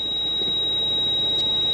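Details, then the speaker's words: Steady high-pitched ABS warning buzzer in a quiet cabin of a 170-series Toyota Crown Majesta (1UZ-FE V8); codes: open pump circuit, booster pump motor on abnormally long, accumulator low pressure; failed ABS pump. "brake booster pump motor on the time abnormally long accumulator low pressure turn it off we get even more lights when we turn it off"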